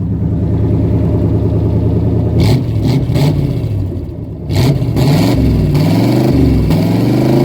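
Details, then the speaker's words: 1977 AMC Matador sedan V8, 46,333 miles, brakes failing: loud, raw throttle blips rising and falling with a harsh open crackle, louder in person; exhaust has no muffler. "so tell me that does not sound amazing that just sounds awesome"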